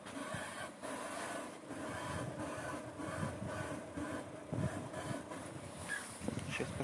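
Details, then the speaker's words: Lada Granta at 120,000 km, front suspension after rough roads: rhythmic rubbing squeak with each bump and when steering, under road noise; worn front ball joint, new one bought for replacement, silence after swap. "как оказалось так шумит шаровая вот купила новую шаровую сегодня вечером будем менять"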